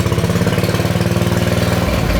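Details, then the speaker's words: Big block Briggs & Stratton 11 hp longitudinal-engine mini bike: steady even single-cylinder thump about twenty pulses a second, no knocks or misses, not too loud; normal idle, though charging system appears not working. "So it's not too loud, is it? No, it's nice. It actually sounds pretty good. Yeah, it does."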